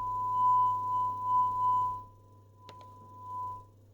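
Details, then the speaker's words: 1960 SwissEcho 463 tape echo under repair, head one selected and monitored on headphones: a clean steady beep near one kilohertz with one brief click is picked up from an inductor and signal generator field, so the playback head works. "it's clearly number one. So this is just an inductor and a signal generator. It will create a magnet magnetic field, right? And this is exactly what they detect."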